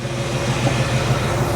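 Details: Replica 1962 Austin-Healey Mk2 with 1977 Ford Mustang II running gear, idling at operating temperature: steady low whirring hum kicks in over the warm idle, even and unbroken; electric radiator cooling fan running normally.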